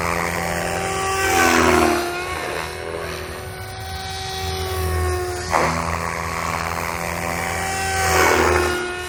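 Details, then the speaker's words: Protos 380 Evo V2 helicopter with RotorTech 385mm Ultimate blades at 80% headspeed in flight: rotor whine with harsh rough edge sweeping as it passes; bad tail bearing suspected, nothing obviously wrong found. "it just does everything. I think I might have a bad tail bearing."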